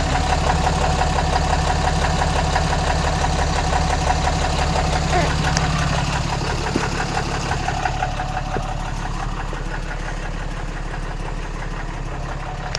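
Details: 2014 Ram Mega Cab 6.7 Cummins diesel just started after CAT 1R-0750 fuel filter install, about 10–11 PSI fuel pressure: steady even idle with light injector clatter, consistent beat — normal healthy idle.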